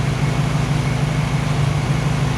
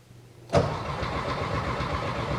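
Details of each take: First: Warm new 1600cc engine in a 1968 VW Karmann Ghia, oil pressure 25–30 psi, lower idle set: low, even idle with steady lope, no squeaks, rattles or ticks; normal idle. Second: First start of a new 1600cc engine in a 1968 VW Karmann Ghia, replacing one that spun a main bearing: it cranks, catches and runs with an uneven, lumpy, stumbling beat; rough running, owner suspects ignition timing set too far back.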